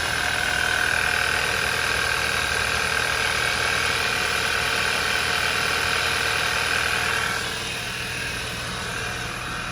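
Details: 2011 Audi A4 2.0 TFSI turbo Quattro after full engine rebuild, crank-no-start fixed by correcting misaligned timing marks; steady, even idle with smooth low drone and light valvetrain tick, no stumbling or misfire; running properly.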